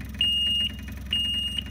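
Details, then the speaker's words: John Deere 997 diesel zero-turn with a fuel delivery problem, key on: two steady high beeps about a second apart over a low steady buzz of the electric fuel pump vibrating, showing it gets power and pumps; key-on alarm with fuel pump running. "one thing you can do to check the fuel pump see if it's even working or operating is to turn this on you'll hear the alarm but you can also hear and feel the fuel pump vibrating which tells you at least it's getting electricity and pumping vibrating"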